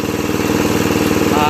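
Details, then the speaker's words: 2001 Murray Select LT riding mower, fixed by carburetor cleaning (float needle stuck open from ethanol buildup) and an oil change: even, quick single-cylinder putter at a fast idle, no misses, surging or stumbling; sounds healthy. "so anyway looks like i fixed it pretty well and all it was was the uh carburetor needed cleaning and uh gave it an oil change"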